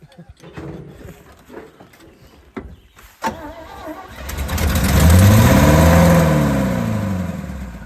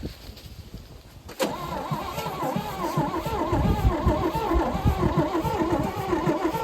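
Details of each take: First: 1974 GMC 6000 pulpwood truck, parked 22 years, with a new battery and fuel poured down the carburetor: after cranking, the engine catches, revs up and falls back over about five seconds, then stops. It fires and wants to run. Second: 1974 GMC 6000 truck, parked 22 years, new battery, fuel splashed down the carburetor barrels: starter churns the engine over at a steady, faster beat but it never catches or fires; possible slight firing suspected, spark not yet checked.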